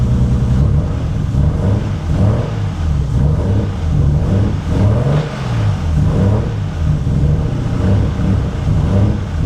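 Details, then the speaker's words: Nissan Skyline R32 sedan engine, loud from prior modifications, revved up and down: light uneven tapping knock over the low drone that comes and goes with revs; cause unknown, engine to be torn down. "but this is the knock that comes and goes. As you can hear, it's running. It does have a knock."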